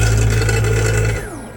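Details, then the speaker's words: 7.5 kW 6000 RPM three-phase 380 V spindle servo motor (for a CNC lathe) jogging at about 3000 RPM in the opposite direction: an even whine at steady pitch that winds down smoothly; it jogs normally both ways. "It's vibrating because it's touching here, right? But it goes in one direction. And if I press the other one, it goes in the opposite direction."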